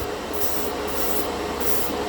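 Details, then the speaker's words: Master airbrush combo's 18 PSI portable compressor while spraying through the 0.3 mm dual-action airbrush: hiss surges and sags about twice a second as pressure drops when the trigger is pressed; the compressor struggles and nearly shuts off. "Seems it's having a little more trouble pushing this out, and I can hear the compressor dying as I push this in."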